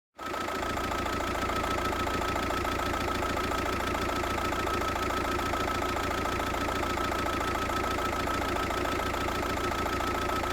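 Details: VW Passat 1.9 PD TDI diesel idling: a slightly uneven, lumpy beat that is steady in overall loudness, a rough idle whose cause the owner does not know.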